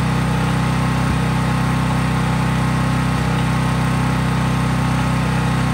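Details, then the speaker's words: Craftsman 5000-watt generator, cold start, running at full governed speed with only an LED bulb plugged in, so no load; steady, even drone with no hunting or misses; normal no-load running. "Since I was just plugging in an LED bulb, there was no load on the generator"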